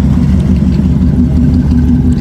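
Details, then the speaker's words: 1969 Dodge Charger daily driver, in neutral, slightly cold but mostly warm after sitting: deep lumpy V8 idle with a faint slight pop from an exhaust leak at the header, below the head. "it does have an exhaust leak so if you do hear that little slight pop it is that header yeah let's get down there it is not on the head that I know of it is below"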